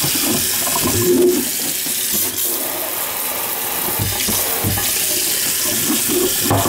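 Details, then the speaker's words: Kitchen faucet (hot side) that whistled and banged, likely from sediment. Smooth steady rush of water from the tap, no squeal, hammering or banging; normal flow, no leaks. "no more weeks no more noise so I must have just been a little bit of sediment making a whistle in action alright weird"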